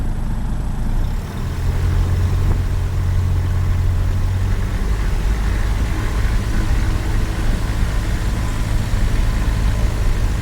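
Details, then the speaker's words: Jabiru aircraft engine with Rotec liquid-cooled heads, TBI and electronic ignition, running 9 years on LCH, mixture full rich, partly warmed up: deep, smooth, even rumble at about 900–1000 rpm with no misses; normal idle. "So the engine's ticking over nicely at about, well, seems to be probably nicest at about 900, 1000."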